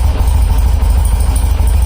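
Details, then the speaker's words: BMW R90 airhead boxer twin on choke in neutral, just fitted with a dual-post 3-ohm Enduralast coil and a new ignition wire: steady, even low thumping idle with both cylinders firing, no misses or knocks; conversion successful, carb balancing still needed. "I would say it's starting and it's running and it seems to be firing on both cylinders"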